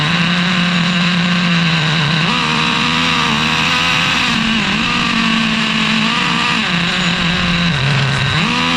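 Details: Traxxas Revo 3.3 nitro engine on first start after fitting a new THS Racing tuned pipe (stock header had cracked): high buzzing pitch wavers and sags repeatedly, running rough up top. No exhaust leaks seen; it sounded fairly bad, owner plans to richen.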